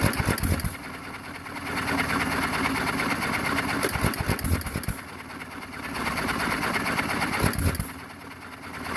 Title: JOHN DEERE 1 1/2 HP HIT MISS ENGINE FIRST START AFTER REBUILD